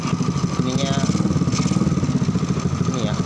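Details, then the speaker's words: Honda Grand motorcycle after engine overhaul, worn leaking carburetor: even quick single-cylinder idle keeps running with idle screw turned fully down; fuel getting past the carburetor. "ini udah turun banget Terus gas stasioner ini udah sertifikasinya juga posisi turun tapi masih banyak"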